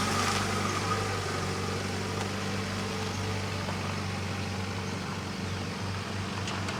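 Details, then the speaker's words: 1991 Honda Civic after 10+ years sitting, idling after head retorqued following suspected head gasket issue (first torque per manual apparently insufficient): steady even low beat, no stumble or skip; nice and quiet, running cleanly. "Nice and quiet. So I think we got it figured out, guys."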